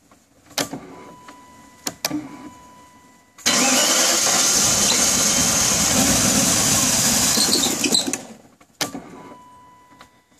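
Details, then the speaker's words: 1994 BMW E31 840Ci that shut off on the street and was towed home: a few clicks, then about five seconds of steady cranking churn that stops without the engine catching, a crank-no-start; it later started but misfired badly. "Alright, so 94 840 CI having a crank and no start issue. Shut off yesterday on the street and I had to tow it back home."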